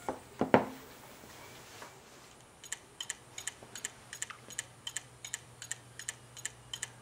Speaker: I hope you can hear the clicking sound that's happening in the background all right I I'll power it off now because that's not good for your hard drive